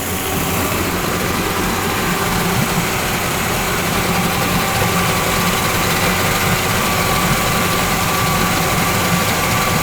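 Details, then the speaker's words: Yamaha 40 hp two-stroke oil-injected outboard, after a carburetor cleaning; it started on the first pull, smoky while the oil-filled cylinders burn out. Steady, even burble holding a constant idle with no misses or knocks. Normal idle. "the letter run here for a bit sounds really good though if p.m. good starting to burn out"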